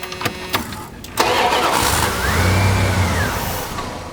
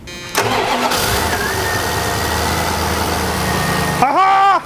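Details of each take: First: 1990 Dodge Ramcharger, non-running: cranks, catches and flares briefly, then sags and dies within about 2 seconds; fuel pressure builds excessively due to clogged fuel return, overwhelming the injectors. ASD relay and distributor pickup ruled out. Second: Non-running 1990 Dodge Ramcharger, fuel return bypassed from throttle body into fuel jug: brief crank, catches and settles into steady even idle without stumbling or misfire; normal start and idle.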